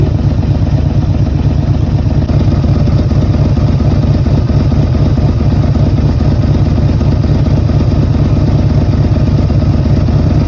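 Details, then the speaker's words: Yamaha V-Max 1200 idling after stator replacement and a recent carburetor cleaning; loud, lumpy idle with an uneven, loping beat, which the owner says shows the carbs need synchronizing, planned soon. "on peut entendre le bruit du moteur que cel nécessite sychro en effet j'ai récemment fait le nettoyage de la carburation et pour les puristes du Vmax on peut entendre que ce dernier voilà nécessite une synchro que je ferai très prochainement"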